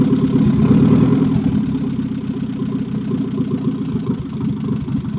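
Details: 1989 Nissan 240SX after overhaul, with the distributor fault (touching bolts, one tooth off) and oil pressure and ignition timing problems fixed: it catches after a brief start-up surge, then holds a steady, even idle at about 3.5 pulses a second. Normal idle.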